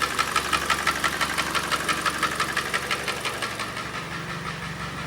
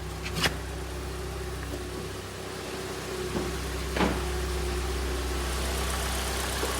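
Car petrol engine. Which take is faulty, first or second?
first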